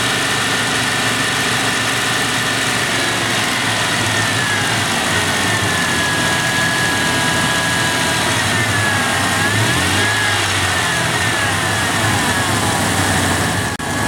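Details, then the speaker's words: 1996 Dodge Dakota 3.9L V6 after installing a new fan clutch to replace a locked-up one: even idle with a fan whoosh that fades as the clutch slips, about 83°F air temp; fan clutch working normally. "We're ready for the road test, but we heard that fan clearly kick off, and as you can see, the air temp's about 83 degrees coming through. It should slip."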